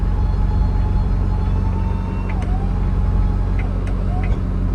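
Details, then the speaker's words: Case 1450B dozer with rebuilt diesel engine after reassembly, fuel leak still present: deep, even rumble with no knocks or misses; normal idle. "I mean so far sounds good I might start it one more time"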